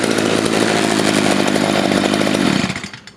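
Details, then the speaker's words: Stihl FS55 trimmer after carburetor replacement and adjustment; trigger squeezed, two-stroke screams at clean steady high rev then falls smoothly to idle on release; healthy engine, everything working. "We'll squeeze the trigger here, and you can hear this is a happy engine. Everything is now working as it should."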